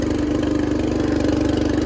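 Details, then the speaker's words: Riding lawn tractor with 13.5 hp engine, started on choke then throttled up: smooth, even firing beat with no knocks or misses; running healthy. "this one runs really good, so I figure I'll show it running and the mower works."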